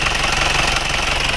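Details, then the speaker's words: Isuzu Panther diesel smoking from the dipstick and oil filler, at a rough, clattery idle with an uneven hollow chuff before reaching full temperature. Mild compression leak (blow-by) past worn piston rings; engine to be overhauled and rings replaced. "Jadi kalau kondisi seperti ini ini adalah bocor kompresi ringan belum bukan botol kompresi berat tapi bocor kompresi ringan sudah mulai mengasap"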